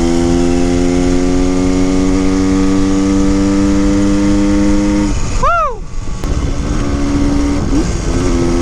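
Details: 1974 Honda MT250 Elsinore after tuning fixes, wide open throttle on a top-speed run reaching about 75 mph, first time reaching redline: clean, high, steady note with a quick drop and recovery on the shift, previous crackling gone; normal.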